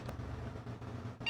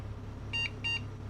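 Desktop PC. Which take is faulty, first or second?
first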